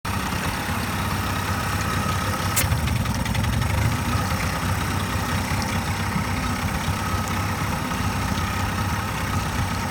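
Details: 1998 Mercury 40hp two-stroke outboard at idle: an uneven, lumpy putter with a single sharp sneeze or spit-back, which is usually more frequent. The cause is unknown.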